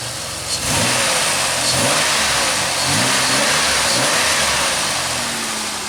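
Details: 2003 Pontiac Grand Am after the intake gasket job and the misfire repair, warm, having run for a while: clean, crisp throttle blips with revs rising and falling without stumble or misfire; the check-engine light has not returned.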